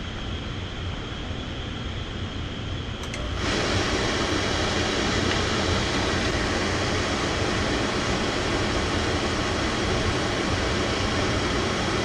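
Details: Oil-fired furnace burner at -15°F, restarted after low fuel let air into the fuel line: quiet hum becomes steady even roar as it lights about three seconds in, holding flame while air is bled from the line; may trip during bleeding.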